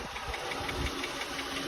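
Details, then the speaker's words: Jeep Grand Cherokee idling down after startup: fast, light, constant ticking that seems to come from further back near the wheel well; the owner suspects underbody damage after bottoming out on the resonator, though the exhaust shop found no leak. "Startup is over. It's idling down. You can hear the tick."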